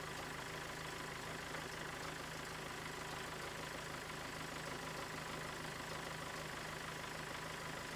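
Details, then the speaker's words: Mazda 6 GG diesel idling before repair: constant high scratchy squeal over diesel clatter from worn alternator belt idler and tensioner pulley bearings (203 bearings); squeal gone after replacing the bearings. "Так, автомобіль начав видавать дуже страшні звуки. Час я заведу, продемонстрирую і потім буду знімати ремень. Якщо скрижит пропав, значить це точно заміна роликів ремня генератора."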